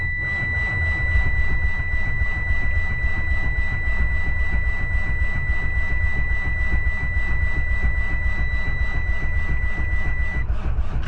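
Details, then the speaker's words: Diesel cranking with NOCO booster on: turns over slowly and laboriously, three to four beats a second with a high whine, not spinning fast enough to fire; smoke coming from exhaust, no start. "It ain't gonna do it because it's just not spinning fast enough. I got smoke coming out the exhaust now."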